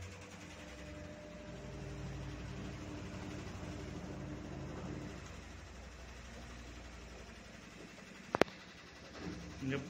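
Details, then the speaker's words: Fully automatic washing machine that would not spin or drain, after replacing the drain motor with a new one and reconnecting the lever and valve, run on direct spin mode: steady even motor hum, smooth spin, no grinding; normal spin cycle. "पूरी तरह से अच्छे से काम करने लगा, अभी"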